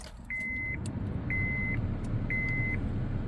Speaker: All right, so now we're going to put the key in, and you can hear there's a audible tone there, so that is definitely a good sign.